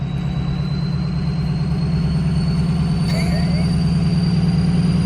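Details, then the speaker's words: Ford Excursion with a Kill Devil Diesel 600 HP 6.0 Powerstroke crate engine and a Twisted Diesel Level 3 transmission, on a test drive: a deep, even diesel rumble with a steady low beat, a faint turbo whistle and no knocks or misses. The engine sounds healthy. "I'm not gonna lie, guys, I think you're gonna be hard pressed to find a better sounding truck than this. This is a 6 liter in general."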